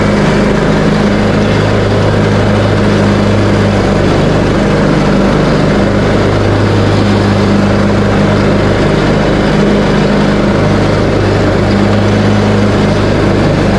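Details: Craftsman T130 riding mower after fuse and ignition switch panel repairs, mowing end-of-season grass with deck set high: smooth, constant engine hum holding steady speed while cutting, no stumbles or rattles, running healthy.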